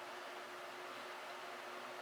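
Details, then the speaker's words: Rebuilt Heathkit SB-220 amplifier power supply on test, about 1300 volts rising to 2200 in low power position, fan turning; quiet steady hum with soft even fan hiss, no rattles, ticks or scraping; normal running. "The fan is turning. Shouldn't see anything else on the other meters, and we don't."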